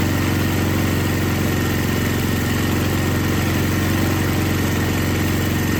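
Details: Older MTD Yard Machines snow blower with Tecumseh 5 hp engine that would not start, after carburetor was rebuilt and gasket found falling apart; steady even beat near four pulses a second, no misses or surging, normal running.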